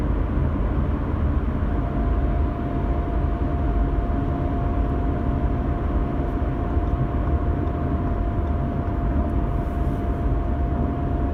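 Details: 2016 Audi A4 B9 2.0 TDI manual: a steady mid-pitched whine over road rumble, only at 115–135 km/h under light throttle in 6th gear. It stops instantly off throttle and briefly at full throttle before returning.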